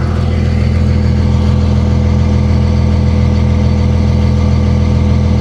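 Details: Dodge Ram 3500 with 57K miles at a salvage auction, driveshaft missing, heard at the rear exhaust: steady, even low idle rumble with no knocks or ticks, charging normally.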